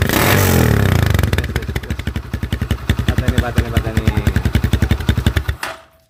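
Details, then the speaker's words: Smooth, even putt-putt exhaust beat at idle after a quick blip on a motorcycle with a GL-type exhaust being customized, extended pipe fitted; sound tuned for smoothest note before welding by rotating the inner pipe opening. "kita cari suaranya yang paling halus Nah kan berubah Elena ini agak keras kemudian kita cari yang harga halus"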